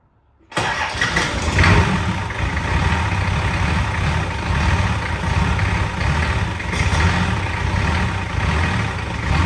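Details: Nissan Patrol, newly installed replacement diesel engine on its first start after priming the fuel system, radiator and fan not yet fitted: catches at once and settles into a steady, deep, smooth idle; sounds healthy.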